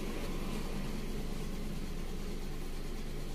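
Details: Car, code P0304: steady idle with an uneven, stumbling beat about three times a second instead of a smooth hum, cylinder four misfiring.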